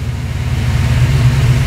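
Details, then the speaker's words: FiTech throttle-body fuel injection on a rebuilt engine, hot start at 200 degrees after a 5–10 minute wait, fuel pressure held: catches instantly and settles into a steady low rumble. Starting fault traced to keyed-on power while cranking; fix confirmed. "fire's right up oh my god this is so awesome wow the car has never ever started that quickly cold or hot"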